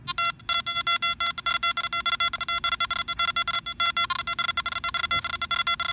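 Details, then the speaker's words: Nokta Makro Anfibio metal detector over three coins right next to each other, sweep speeding up: quick bursts of clear high beeps, one per coin, crowding closer; fast recovery. "three separate targets right next to each other and this machine recovers quickly to let you hear all three oh wow"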